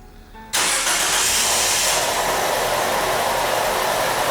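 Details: 2013 Nissan Qashqai, 1.6 engine, FWD, JF015 CVT, just over 90,000 km: engine starts into a loud, steady hissing whir at idle in Park, noise changing with selector position, from a failed CVT bearing; metal shavings found in filter.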